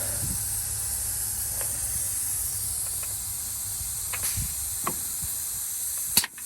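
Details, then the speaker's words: 1971 Peterbilt 352 after air tank replacement, engine shut off from low fuel: steady high hiss of compressed air escaping somewhere; service brakes seem to work, small air leak, location unknown. "So I got a little bit of an air leak somewhere. I'm not sure where that's coming from."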